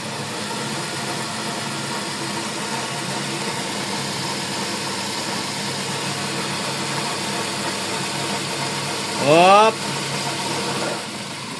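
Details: 2020 Nissan Almera CVT (automatic) running on a lift with the car reported noisy: a steady droning hum with layered whining tones. Bearings found damaged: CVT bearing whine.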